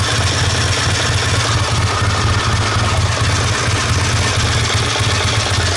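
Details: 1969 Triumph Daytona T100R 500 parallel twin, barely warm, on newly fitted Wassell (Vape) electronic ignition: steady, even idle beat firing regularly without misses or spitting; engine running properly, fitting judged a success.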